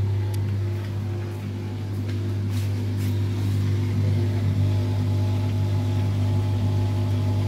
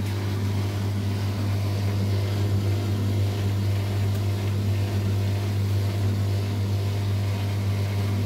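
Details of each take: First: LUX front-load washing machine that fills with water but won't turn the drum in wash or spin, tested in spin mode: a steady low motor hum with no tumbling or spin-up. Motor is powered but the drum does not turn; the motor is being checked. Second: LUX front-load washing machine that filled but whose drum would not turn in wash or spin, after a 5 mm hex bolt was tightened and belt checked: steady low hum, even unbroken run, no knocks or scraping; drum spins normally.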